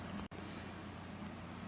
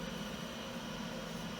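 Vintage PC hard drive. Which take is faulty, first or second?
first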